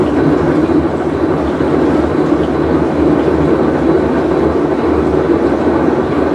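Loud steady rough rumble, almost like a passing train, running evenly through the cycle: the worn tub bearing is growling as the drum turns.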